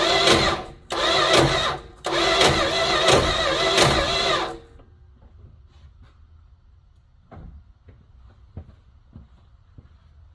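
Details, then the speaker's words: 1972 Plymouth Fury I small-block V8 being woken up after years of neglect, new plugs fitted: starter cranks in harsh grinding bursts with gaps. Owner suspects a bad spot on the flex plate or torque converter ring gear; unconfirmed. "I've never heard that noise before. I don't know what the heck that is. Huh. Maybe a starter hanging up. Bad spot on the flywheel flex plate."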